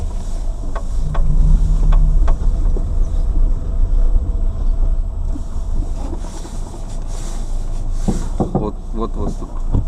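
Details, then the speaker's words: Lada Granta liftback, recorded from inside while driving: scattered sharp knocks from the front suspension over wind and road roar, mainly on left turns but also right, also over bumps, none when braking or climbing; source not yet found. "Вот стук. Вот стук направо был. Вот налево. Вот налево. При торможении нету стука. Поворот направо. Вот стук был. Вот стук."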